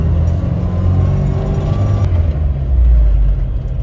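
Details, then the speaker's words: Suzuki Samurai on a test drive after installing a rebuilt transmission with a backwards shift collar corrected: low, even engine and drivetrain drone in second gear, no whine or grinding, no longer popping out of first; gearbox sounds healthy. "whenever I put this Transmission in and that shift collar was backwards it had a really bad gear noise it already sounds way better it hasn't popped out of first gear so that's a good sign"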